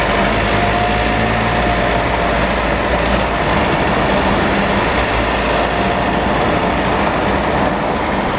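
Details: Mitsubishi with 4N15 diesel and V6AWH automatic, about 6,110 km, driving: steady high constant-pitch whine over the diesel drone; burning oil smell and higher fuel use; dealer never fixed it, owner later found rear differential overfilled, front differential oil burnt black, ATF about 1 L low.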